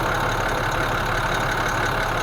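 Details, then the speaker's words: International DT466E diesel after calibrating valves and injectors with BMAX J1708 software, cold start: soft, even idle clatter with no shake or vibration. Normal cold idle; the cold-start misfire came from two faulty injectors. "mira cómo se mueve este motor. Escúchenlo, escuchen lo serenito que está."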